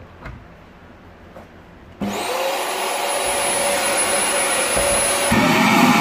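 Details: Rowenta Compact Power Cyclonic vacuum cleaner whistling: motor starts with a rushing roar and a thin high whistle holding steady over it; the problem is thought to be airflow rather than the motor.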